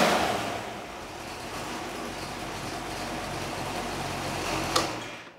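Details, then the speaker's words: Rover V8 4.6 rebuild (stage 1 heads, Piper 270 cam, Edelbrock carburetor and intake, RPi ignition) for a Range Rover Classic, first run on engine test bench: steady even drone, no misses or knocks, slight exhaust rattle; normal running. "sounds good other than the exhaust rattle going out the door i reckon yes ship it out to the customer"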